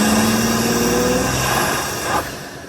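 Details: 2020 Ford F-150 EcoBoost with aftermarket intake, phone microphone zipped under the hood while driving, comparing with vs without turbo silencers; steady engine drone with faint whistle rising under pull then easing, clean normal turbo intake sound.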